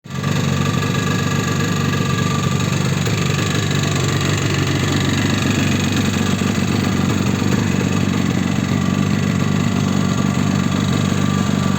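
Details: Yamaha RD350 two-stroke motorcycle as bought, before rebuild: engine running with loud, hollow rattling knock, horrendous piston slap.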